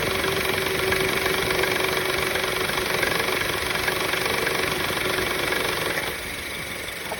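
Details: 2013 Honda Civic idling with a light metallic rattle ticking about three times a second over a thin engine hum, still present after the belt and belt tensioner were replaced; source unknown.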